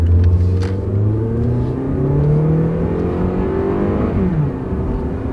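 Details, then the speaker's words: Toyota Corolla, 180-something thousand miles, original struts, on the road at about 45 mph: engine pulls strongly with a steadily climbing note and one clean upshift pitch drop, no whine, grinding, groaning or worn wheel-bearing noise; normal acceleration and shifting. "Smooth shift. Still got plenty of power. We're going 45 fast enough. And what do I hear? Nothing."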